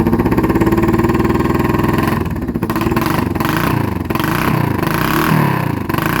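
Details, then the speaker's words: Kawasaki Vulcan EN500 V-twin with new glasspack-style exhausts: revving with sharp irregular pops and crackles from one side as the throttle closes; exhaust gaskets need replacing. "yeah you can hear the popping coming out of one side exhaust"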